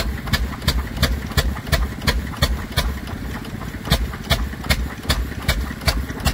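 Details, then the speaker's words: Stationary engine, one of 540 made, running a 3-inch centrifugal pump: slow, even, crisp single-cylinder firing about three times a second with steady gaps; normal healthy running. "what you call an engine. That sounds absolutely fantastic."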